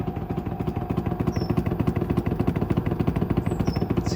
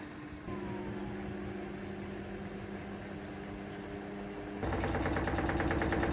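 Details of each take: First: Samsung WD90K5B10OX 9 kg washer dryer, six-seven years old, during a cycle: heavy regular thumps about a hundred a minute; drum hitting something, owner suspects loose ballast, bearings possibly worn. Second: Samsung WD90K5B10OX 9 kg washer dryer, after welding repair of collapsed ballast: smooth motor hum rising into faster louder spin with no cabinet banging; sounds normal, owner wonders whether something rubs low down.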